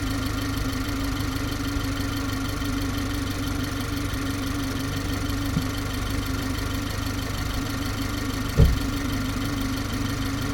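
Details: G20 BMW 330i at steady idle: low hum with faint even background chatter and a single brief thump near the end; strange idle noise, cause unclear.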